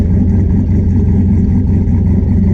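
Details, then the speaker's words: Turbo Chevrolet C10 V8, back running with the bigger 78mm turbo and a new custom stainless exhaust with flex pipe and wide-mouth tip: deep even burble settling to a steady idle as the turbo spins up, no misses or knocks. Normal. "it settle into a doddle the turbos spinning up there I know days dude that sounds so good"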